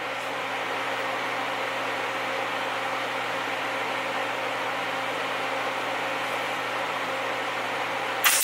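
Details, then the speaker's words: MIG welding on a Ford truck during a Cummins engine swap: steady crackling hiss with uneven spitting; sputter and spatter blamed on poorly cleaned, under-ground, slightly rusty metal. "I don't think in here that in the welder or like sputters and spatter that's because I didn't clean the metal good enough I didn't grind it down enough and give it a good enough surface kind of rusty a little bit but it'll still work"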